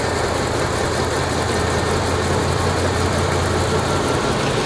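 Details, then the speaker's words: 1986 Chevrolet K30 dually, old carbureted V8, after fixing a fuel hose leak on a makeshift fuel tank and refitting the air cleaner: a steady, even low rumble that idles far better, though it seems to idle up slightly. Normal idle. "Look at that. Yeah, 100 times better. Uh-oh. Oh, what? Sounds like it's idling up."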